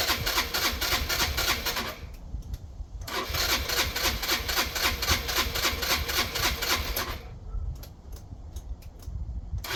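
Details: Yamaha Vino 125 scooter single-cylinder on its rear stand: it stumbles and pulses unevenly, dropping away and catching again. Rough running; owner suspects fuel starvation from a dirty carburetor still clogged after cleaning.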